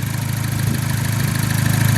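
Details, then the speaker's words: Cobalt SS project car with direct-injection Ecotec engine and balance shafts removed, causing extra vibration: steady, even idle with low smooth pulse and faint light ticking from the high-pressure fuel pump; normal idle. "car sounds good I haven't noticed to me unusual noises mister normal if the noise and the high pressure fuel pump noise that's good"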